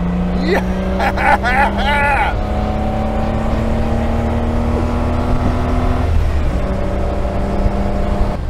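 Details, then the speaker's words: Austin Healey 3000 with top down, after SU carburetor work fixing sinking floats that raised fuel level and ran rich: engine note climbs steadily and pulls cleanly through the revs under heavy wind rush, no stumble or hesitation; healthy acceleration. "I have no idea if you can hear the top is down so the wind noise is probably going to be out of this world but the engine feels amazing"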